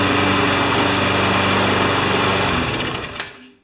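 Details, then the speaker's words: Sears Platinum (Quantum engine) mower found abandoned, just got running after repairs: engine runs smooth and even at steady speed for over two seconds, then winds down cleanly at shutoff, no surging or misfire. "there aren't enough O's and smooth to describe that all right"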